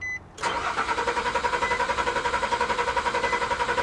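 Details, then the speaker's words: 1982 Chevy Camaro V8 salvage car: starter spins the engine at a steady, even chug of about four turns a second but it never fires; crank, no start because the fuel tank is completely empty. "yeah there's no gas in it like none [Laughter] that's weird how did it get run completely out of gas if it ran when it came in here"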